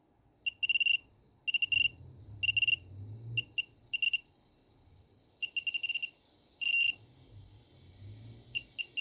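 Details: Wanptek APS1203H power supply giving bursts of high, buzzy chirps in irregular clusters, like boiling or crackling; abnormal noise.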